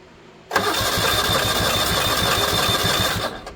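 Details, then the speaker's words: 1970 Honda 600 sedan (N600) being revived with a rebuilt carburetor, fuel gravity-fed from a gas can without filter, choke cable hooked up: steady rapid cranking about four turns a second for three seconds, never fires; cranks but no start, spark at points checked next. "Let's see it'll fire. That's a no."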